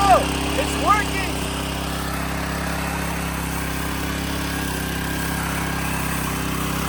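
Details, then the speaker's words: Street sweeper's small single-cylinder engine after replacing the carburetor, because cleaning the old one didn't get it to start: smooth, steady buzz at constant speed with no surging, hunting or sputter. Running normally, dialed in. "Like you can hear here, it's completely dialed in."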